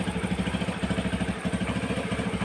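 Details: Carbureted Honda Beat scooter idling with a steady, quick putter of even pulses and no misses after a no-start with lost spark; fault traced to the yellow and blue-yellow wires from the coil underneath, now runs cleanly at normal idle.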